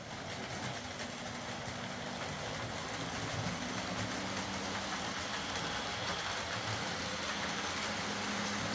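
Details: Old Hornby R751 Class 37 model locomotive after repair, with corroded wheels cleaned using a rotary brass brush: small motor runs with an even hiss and light rail clatter, no catching or surging; healthy running.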